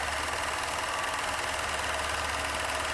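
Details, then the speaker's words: 1990 Chevrolet Silverado, 4.3 L V6 with 5-speed, revived after sitting about a year; fast light clicking about three per second over a steady idle from the throttle body injectors. Owner plans injector cleaner, has a throttle body rebuild kit. "you can share here those injectors going clicky clack okay we'll have to run some uh injector cleaner through there"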